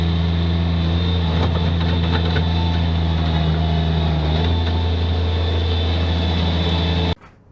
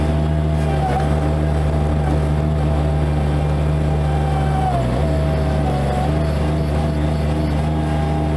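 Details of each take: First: Bobcat MT85 mini track loader with a full bucket, the day after replacing the belt tensioner that caused a squeal under load; steady, even engine drone with no belt chirp or squeal; normal running under load. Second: Bobcat MT85 mini track loader under load with a full bucket and in a particular turn, not when empty; steady engine drone with a thin, sustained squeal; belt looks sound and tight, tensioner suspected; drive belt squeal from worn tensioner.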